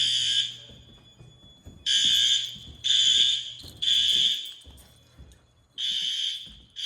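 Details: Fire alarm test at pull stations in an old 1948 school, second floor: loud steady high-pitched horn blasts about a second long, repeating roughly once a second with gaps; sounders working normally.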